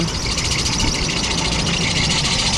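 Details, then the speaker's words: Carrier commercial electric heat unit on a roof after diagnosis and partial repair: blower comes on with a steady airy rush and a light high-pitched chirping squeak; technician says the squeaking just means it's healthy, normal blower operation. "don't worry about the squeaking that just means it's healthy"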